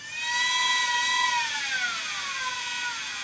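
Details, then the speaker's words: Quantum LTO-4 tape drive in a rebuilt Aaeon EMB-B75A / i3 3220 server, running a backup; clean high whine sliding down in pitch as the reels run, with no grinding or clicking, and it works better than in the old machine: normal tape writing. "so uh let's run and see what happens and go sounds like it's having no problem watch it works better on this machine"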